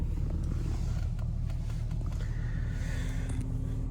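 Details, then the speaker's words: Infiniti G35 Sport HR sedan at warm idle after tightening loose bolts on the ISR Y-pipe that caused a small exhaust leak and high idle: steady, even low rumble, no ticking, puffing or hunting; idle back to normal. "I kept letting it idle, and look at that. Look where it's idling, guys. Perfect idle. Perfect idle."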